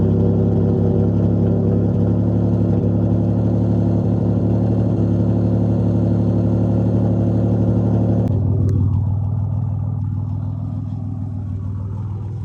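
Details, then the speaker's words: Cold Nissan Z31 VG30E/T engine after sitting 3 months, about 50°F outside, idles unevenly with a lumpy wavering beat and faint clatter, then settles lower; owner suspects leaking upper plenum and lower intake gaskets, not confirmed. "But it's been 3 months since I turned her on. Whoa, that sounded weird."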